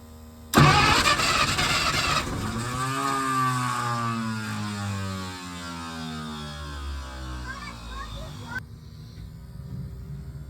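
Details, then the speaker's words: 1951 Packard straight-eight, sat 30-plus years, fuel fed to the carb: starter cranks, engine fires briefly and revs, then dies within seconds; possibly losing spark once the starter disengages, unconfirmed. "Try this again. Fuel. Trying. It wants it. It wants it. Can't tell if it's losing spark once the starter disengages."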